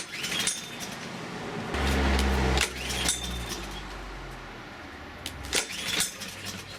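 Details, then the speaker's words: Loncin 166cc engine on an AL-KO 521 SP-A Pro 170 lawn mower, stored all winter without fuel, first start of spring: several sharp rope pulls, each a brief chugging turnover that dies at once; engine won't start. "No ładnie, nie chcę zagadać."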